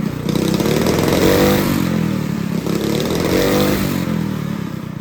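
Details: Honda GX200 clone kart engine, carb jet drilled up to a 77 bit with good throttle response, unloaded: small single-cylinder revving up and back down twice, firing evenly with no stumble or misfire; normal running.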